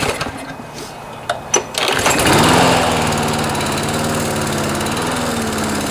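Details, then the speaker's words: Briggs and Stratton auto-choke Craftsman mower engine with a replacement carburetor: it settles into a steady buzz but stays low at full throttle, short of governed speed; fix is bending the throttle linkage spring loop to tighten the spring. "so you can hear on full speed it's not quite revving up as much as it should so this is what we do to fix that"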